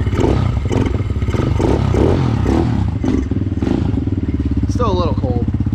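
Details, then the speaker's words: Kawasaki KLX110 with a BBR U-Flow air intake at stock displacement, many hours of hard riding: cold start on choke after a couple of throttle pumps fires right up and settles into a steady, even single-cylinder thump. Normal cold idle. "i'll do a little fire up right here it's cold so am i even gonna chokes pulled out here a couple courtesy pumps fired right up"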